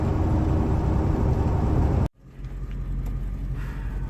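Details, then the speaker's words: Ford 7.3 Powerstroke diesel truck running very rough and shaking with check engine light on, after the owner's cold-start injector work; uneven chopping rumble that drops out and returns lumpy, one cylinder dead from an unplugged injector. "let's see if you can hear the truck how rough it's running it has been there's literally shaking right now and yeah it's actually shaking and it never I mean it ran completely fine before I did this and now I am ten times worse off than what it was"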